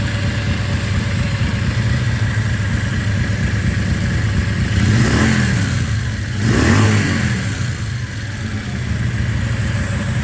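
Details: 1994 Yamaha Virago 535 V-twin with single-carburetor conversion kit, after fuel tank flush, petcock rebuild, regulator and clutch replacement: steady, even idle with two clean throttle blips rising and settling smoothly; runs fine, just back from a ride.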